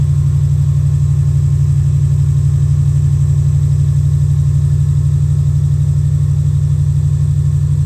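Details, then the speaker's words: 2000 Subaru Impreza Outback Sport after temporary JB Weld muffler seal repair of small exhaust leak: steady, even idle pulse, no raspy lawnmower-like puffing, sputter or ticking; exhaust sealed, engine smooth. "sounds much better now and that's how you uh fix a small exhaust leak and an old car"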